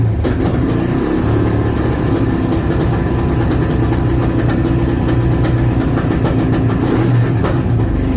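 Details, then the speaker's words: Honda Shadow V-twin at idle on its first start since 2019, after sitting with gummed carbs and stale fuel, running on fuel poured from a funnel: deep steady rumble with an even beat and no knocks or misses; idling cleanly. "All right, I got some heat in it, so it's starting, it's running, it's idling, which is shocking."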